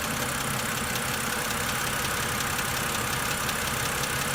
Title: 08 e90 N52 lifter tick